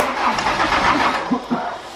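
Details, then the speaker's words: Diesel camper van after winter storage, battery suspected flat: after preheating the starter churns in a short, labouring burst but the engine never catches. It cranks but won't start, and only started after about ten attempts. "Ah, après plusieurs tentatives, toujours pas de démarrage du moteur. Donc ça s'annonce compliqué."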